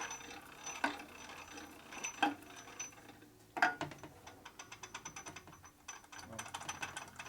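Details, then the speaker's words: 1965 Harley-Davidson Panhead 74ci FL/FLH lower-end rebuild, gears turned by hand: uneven ratcheting clicks and faint high scraping from an idler gear meshing dry and very tight, no clearance (8¼ fitted); one size down suggested. "it's dry right now okay so yeah the T gear is very very tight so it's just it's right there no extra clearance in it"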